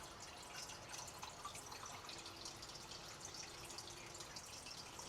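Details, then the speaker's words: Reef aquarium sump, skimmer off, about 3 ft away, filter sock silencers removed: constant splashing and dripping of falling water, no hum, measured up to about 53 dB; louder without silencers. "so I had the skimmer turned off and I'm going to take a measure here to see how loud the water is that's dropping into the filter socks about 44 to 48 D"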